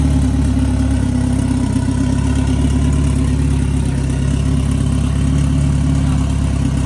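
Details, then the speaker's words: Big-turbo Honda F20B EG hatch freshly started after new TPS and throttle body refitted; steady deep note holding even idle, no knocks or rattles; sounds good, normal running. "That's gonna go ahead and end it for this video. You've seen the hatches running, sounds good."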